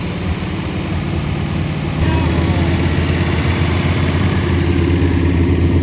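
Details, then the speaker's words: 1966 Corvette, 383 stroker, 4-speed manual, weak starter now on jumper cables: laboured cranking about two seconds, then firing picks up into heavier uneven beat; catches, but won't idle, blamed on old gas. "Alright, we got our jumper cables hooked up now. Hopefully it'll crank over a little faster."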